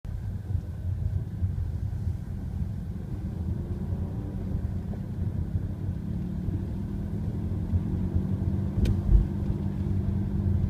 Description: My car has started making a strange droaning/humming noise from the front passenger side. Car has 46,000 miles and is six years old. Noise is speed related and increases with speed.